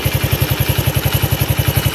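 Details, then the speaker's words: 1991 Honda CT70 single with about 500 original miles, valve clearances mid-spec, fresh oil: a quick, even putt-putt of around ten beats a second with no knocks or rattles, idling clean and tight. "it just sounds so tight. Of course, with 500 miles, it would be."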